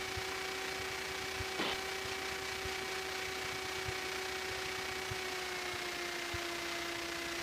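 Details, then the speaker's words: Training aircraft cabin, cold day around minus one degree, engine at low taxi power just above idle: steady even drone with constant pitch under cabin hiss, no stumbling or surging; healthy engine. "and as we're flying along try to remember memorize different engine power settings how they sound so this is a nice idle not not quite idle but nice uh taxi setting"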